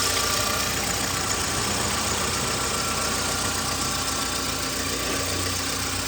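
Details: 2009 VW Gol G5 at idle on Castrol GTX 20W50 mineral oil, which is not recommended for it: even idle with a fast, light clatter of about four ticks per second over a hissy top end; the problem was the oil.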